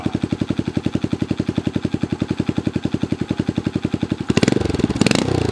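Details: 2015 Honda Grom with custom exhaust and intake, which backfired, sputtered and would not idle, now idles after the spark plug was checked and refitted at 12 ft-lb; even single-cylinder thump near four per second, then a throttle blip; fixed.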